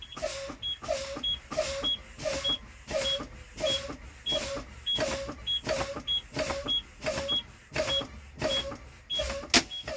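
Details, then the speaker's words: International truck in-cab pretrip air brake test: engine off, brake pedal pumped repeatedly with air hissing out and a short high beep each time, low air pressure warning buzzer sounding as pressure falls toward 20–40 psi, where both emergency brake buttons popped around 40 psi. "ntinue to fan down between 20 and 40 pounds to where my emergency brakes will pop so what I do is I'm going to watch those buttons not the gauge"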